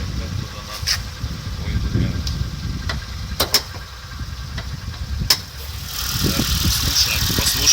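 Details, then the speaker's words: Ford Fiesta, 42,143 km, recent oil change, check engine light, idle fluctuating: idling engine with sharp irregular metallic ticks from the engine and a slightly wandering idle; source undetermined. "да и слышу какой-то шум металлический как дик тик тик тик тик тик они из двигателей"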